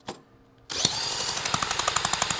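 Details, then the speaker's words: 1977 Honda Z50 stored 25 years, spark plug out then refitted, good spark confirmed; a drill spins the engine with crisp, even pulses about eight a second; compression sounds good. "that sounds pretty good feels like we got some compression so let's put it back together"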